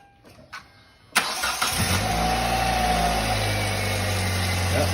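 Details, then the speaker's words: Fitted A/C belt on a 2009 Hyundai Elantra just under 100,000 miles, checked before refitting the cover: short crank, engine catches and settles to a steady idle with no squeal or chirp; belts run smooth. "belts are running on there nice and smooth"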